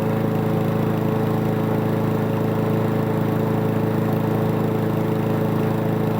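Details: Toro Recycler mower that had been stalling after about 15 minutes, test run after reassembly and carb work with fresh gas, air filter off: smooth even drone, no misses, surges or knocks, steady speed; running healthy.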